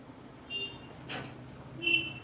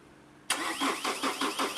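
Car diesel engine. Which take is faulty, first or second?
second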